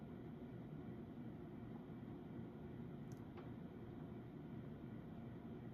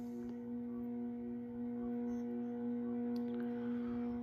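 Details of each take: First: Early-1980s CEC-made Moss Heirloom Olympus 52-inch ceiling fan on high, about 165 RPM (motor rated 250 RPM): a quiet, steady whirr with a faint low motor buzz and no ticking or grinding. Bearings healthy; normal running. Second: Early-1980s CEC-made Moss Heirloom Olympus 52-inch ceiling fan on low, about 55 RPM, at a likely factory trim setting: a steady, droning electrical buzz with ringing overtones. A pronounced buzz from the variable speed control.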